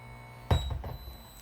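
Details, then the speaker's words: MT-VIKI 4-port KVM switch heard through its audio path on speakers: a steady low buzz under thin high-pitched whines, plus a thunk. The switch also beeps constantly and switches computers randomly, and the buzz changes with the screen content sent. "so aside from the fact it keeps on changing randomly we also have the problem that is beeping constantly maybe that's linked and we have the problem that there is that real buzzing can you hear that"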